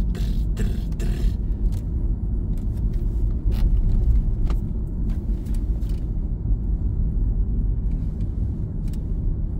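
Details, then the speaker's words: Lexus GS 300 driven over potholes on small tyres; deep road rumble with sharp ticks and rattles on bumps, still present when pressing the panel; interior panel rattle, source not yet found. "Un tas ir, tagad es te uzspiežu uz paneļa. Nē, vienalga skana. Pilnīgi interesanti atrast."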